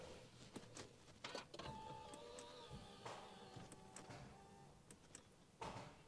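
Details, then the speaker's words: Audi A6 C7.5 diesel, six-speed manual, non-runner, clutch pressed to start: scattered dry clicks and no cranking; battery checked with plenty of voltage, owner suspects no power reaching the starter motor. "you probably hear the clicking noise the battery is okay I have checked it's got plenty of voltage in that which means no electric is getting to the starter motor"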